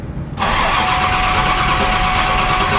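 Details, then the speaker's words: Triple-turbo 7.3 Powerstroke with large injectors, nitrous and a swapped IPR, after repeated bugs: diesel fires right up and settles into a loud steady tractor-like clatter with a constant turbo whistle; starts and runs normally. "It's gonna sound like a tractor. Told you. It runs. Sounds like a tractor."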